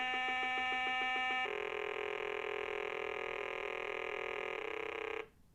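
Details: 1980 Milton Bradley Super Simon on batteries, first power-on test before repair: pulsing beeps give way to a sustained tone with a rough buzz; sound output faulty, and one button is not pushing.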